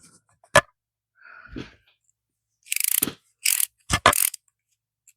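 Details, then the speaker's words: Ratchet after a first brake-cleaner spray in a cold 42°F shop: short bursts of quick, rough clicking rather than a crisp, even tick; improved, but crud can still be heard and felt inside, leaving the pawl sticking from internal grime. "Definite improvement. Still got crud in it. I can hear it and I can feel it."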